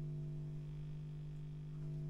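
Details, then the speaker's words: Vox 125 100 W guitar amp head after output transformer replacement: steady low hum with buzzy edge persists with volume turned down, new since before; less at 6 o'clock; suspected mains hum pickup from master volume wire routed over diodes near AC, needs rerouting. "I've got this amp turned down and I've still got noise on there which before we didn't have that"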